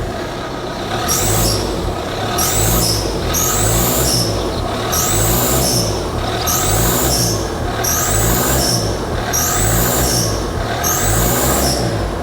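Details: Engine warming up after oil-filled intercooler, still smoking: engine blipped every second and a half, each rev bringing a sharp high squeak coming and going with throttle, revs freely; boost leak.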